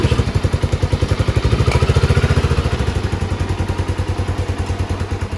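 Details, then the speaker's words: 1997 Suzuki Savage 650 single, one owner, 2,000 miles, parked since 2001, before repair: runs only while starter fluid is sprayed into the airbox. A slow thumping at about 3.5 beats per second fades and falters. Spark and compression are good; the carburetor jet is clogged. "the bike started but it would only stay starting and running if I was to spray more starter fluid into the air box that tells me that the engine is good I have spark I have good compression but the carburetor is cloth"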